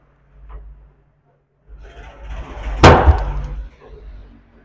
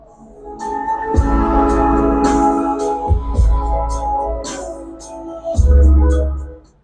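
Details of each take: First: CA18 long-body power amplifier, channel 1 (clip light fault) tested on a series bulb that lights fully: one sharp bang in the speaker at switch-on, then a low hum; DC is present on the channel 1 output. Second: CA18 long-body power amplifier after repair of channel 1, which had DC on its output and a blown fuse replaced with a new 20 A fuse: clean, steady organ-like test tones with no crackle, hum or dropouts; channel 1 now working normally.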